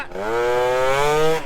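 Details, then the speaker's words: Modified two-stroke moped that cruises 40–45 mph with good throttle response: slowed to about 20 mph and accelerating, drone rises then flattens and bogs before picking up; low-speed hesitation, suspected exhaust pipe, unconfirmed. "it runs good it's got good response like the the throttle is right there but if we're at lower speed let me slow her down to like 20 or something you hear that B it's"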